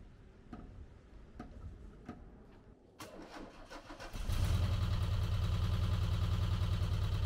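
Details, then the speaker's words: 1985 VW T25 camper bought as non-runner, exhaust manifold off: a few clicks, then catches to fast, even choke idle with light ticking over the rumble; won't idle off choke; owner suspects loose valve adjustment screws on one side cause the tapping. "I've also ordered some valve adjustment screws for this side because they're all quite loose and I think that's where all the tapping noises are coming from"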